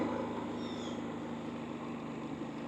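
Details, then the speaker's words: Harbor Freight Predator 3500 inverter generator, periodic exercise run: quiet, steady low hum, slight shaking, no surging or misses; runs smooth and normal. "it does shake a little bit but as you can hear it's very quiet"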